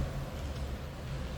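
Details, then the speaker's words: 1934 Ford Model 40 5-window coupe flathead idled down low, throttle and choke pushed all the way in: low, soft, even rumble with no knocks or misses; quiet, healthy idle. "quiet running flathead. I have it idled down pretty low too. Throttle's pushed all the way in, as well as the choke."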